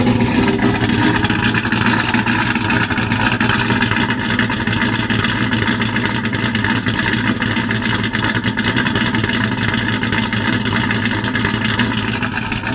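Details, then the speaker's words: Car after misfire fix and new front suspension, idling with oil pressure good, gauges working and no check engine light: loud, deep, steady idle with an even low rumble and no misses or knocks; engine sounds healthy. "oil pressure is good all my gauges work like i said that sounds pretty badass"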